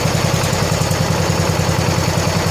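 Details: 1970 John Deere 140 H3 garden tractor single-cylinder, just started after replacing a severely leaking blown head gasket: smooth, steady low thump at even idle, no misses, knocks or ticking; fired right up, runs good and quiet, burning off some oil.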